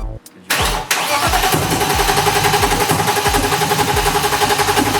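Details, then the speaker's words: BMW E30 on old gas: cranks, catches with sharp pops, then stumbles at about four uneven beats a second; ignition timing off because the crank pulley is slipping on the crankshaft. "yeah it's still not going to catch the timing correctly so you're that's where you're getting your pops because your timing is completely off because the pulley is still not it's spinning but it's not spinning correctly at the right position"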